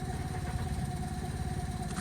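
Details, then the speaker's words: 2011 Microcar M-Go SLX quadricycle, 505cc 20bhp two-cylinder petrol engine with CVT automatic, recorded from outside the car: a quiet, steady low thumping idle with even pulses and a faint whine above; normal idle. "It is actually quite quiet when you're out here, as you can probably hear, or not."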